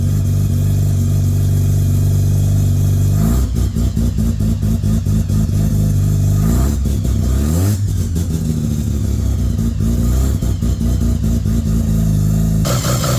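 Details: 13B bridgeport rotary in Danny's Corona, first start after fixing a no-spark problem, igniters on: fires up, holds a choppy lumpy idle, revs cleanly through several throttle blips and drops back; runs healthy.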